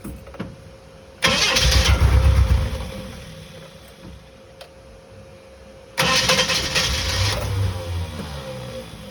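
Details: Bedford CF: two short bursts of steady starter cranking, each under two seconds, and the engine never catches; it cranks but won't start.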